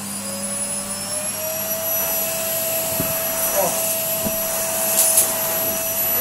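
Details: Numatic Henry HVR160 vacuum cleaner: strong, even high-pitched whine holding steady at full power with smooth airflow rush; motor sounds healthy.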